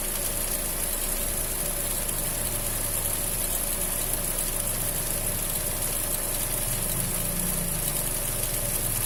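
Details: Fiat Punto 1.4 idling: constant high thin squeal over a rough low rumble from the accessory belt.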